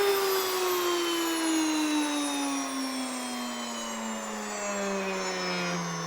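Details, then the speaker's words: Grain mill grinding red and white wheat into flour, heard after switch-off. A clean tone glides steadily down as the motor coasts, with no scraping or rattle; a normal wind-down showing grinding is done. "You'll hear it start to spin down and wind up here a little bit, and that means it's done grinding."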